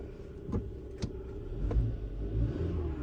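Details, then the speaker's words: 2015 Hyundai Tucson 2.4 L with codes P2188 (too rich at idle) and a misfire, lightly revved: uneven stumbling beat with sharp pops; misfire stays on cylinder one after swapping coils, so the spark plug, not the coil, is bad. "2 three 4 no misfire still number one so that's mean only the spark plug is bad not the coil"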